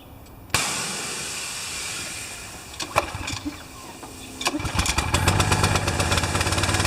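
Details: Pressure washer small engine with automatic choke, after clogged bolt cleared and new air filter: after a sharp start it coughs and stumbles with uneven popping bursts, running rich; choke stuck on, lever tampered with.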